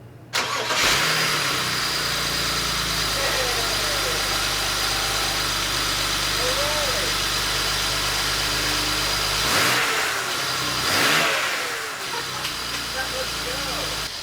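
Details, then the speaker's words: BMW 535xi first start after replacing a blown 30 A fuse and a throttle valve learning procedure, following throttle body and camshaft faults: the engine catches first crank and idles smoothly on all six cylinders with no misfire. "man i'm so happy right now look at that it's running all six cylinders and we were able to use the throttle so we know now that the car runs good"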